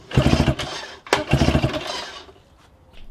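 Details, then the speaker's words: 1987 Johnson 4hp two-stroke outboard after a full service (spark plugs, impeller, gearbox oil): two short crisp bursts of running, the second revving up cleanly before easing off, and it shifts in and out of gear; normal running. "there we have one fully serviced Johnson for horsepower sparkplugs gearbox oil impeller and it works it runs up goes in and out of gear it is perfect very very good condition"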